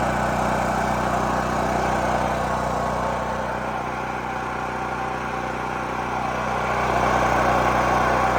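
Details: New Holland Agriculture 6500 W generator, previously seized after running low on oil, restarted with fresh gas, valve cover and spark plug refitted; even, steady drone holding constant speed, no knocking or misses; normal running.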